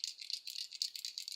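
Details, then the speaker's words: Traxxas T-Maxx 3.3 RC truck steering servo being replaced: short bursts of light, tinny rattling each time it is shaken, something loose inside the servo case, though it still operates smoothly. "has something rattling around in there, but it's still works smooth."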